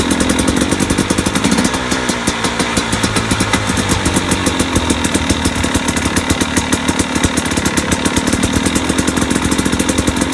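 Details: 2017 KTM 250 XC-W two-stroke at idle: rapid, sharp, even knocks over a lumpy idle, keeping pace with the engine. Owner wonders about pipe bang; source not pinned down.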